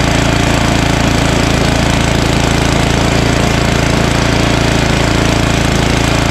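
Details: Ariens ST1128 snowblower, 11HP Tecumseh Snow King engine, cold day, after carburetor cleaning and pilot jet fix for surging: loud, even exhaust beat holding one steady speed with no rise and fall; runs smoothly without surging.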